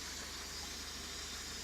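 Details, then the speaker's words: 1994 Mazda Proceed 4WD camper, 2.6 L gasoline inline-four, 117,000 km, hood closed: loud constant airy hiss over a quiet even idle, from the aftermarket-style open air filter drawing air; otherwise runs well. "okay so 117 000 kilometers and your running condition is good though it makes a hissing sound which comes from the aftermarket style air filter here"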